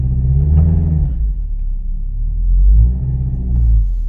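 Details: 2013 Kia Sorento 2.4L after repair for stalling and rough running (codes P0017, P0106, P0191): smooth deep engine note rising and falling evenly with throttle blips, cam phasing now correct.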